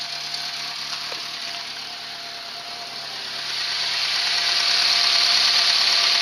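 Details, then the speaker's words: Renault 11 TXE at idle after timing work: even idle with a steady high hiss that grows louder and a quick pulse about four a second; owner suspects an exhaust leak, likely at the rotten downpipe/manifold collar. "et je pense que autant le niveau bruit, j'entends pas la différence mais après je pense qu'il y a une fuite à échappement."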